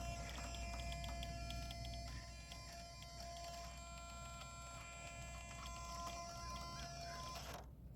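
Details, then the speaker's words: TRX6 RC crawler front steering servo, described as super powerful and fast. A steady, unbroken mid-pitched whine like a held horn note whenever it is under pressure. Servo whine under load. "you hear that Servo good Lord anytime it gets pressure put on it it makes a humming hear it I mean it's a super powerful fast servo"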